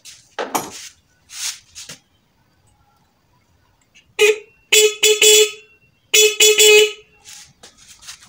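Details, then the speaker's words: Motorcycle horn after fixing no-sound fault traced to the horn itself, not wiring, tested on battery: several short bright, thin, sharp-edged blasts cutting off cleanly; horn works but sounds shrill, being turned a little further. "Saya akan coba memutarnya sedikit lagi karena suaranya tadi agak melengking ."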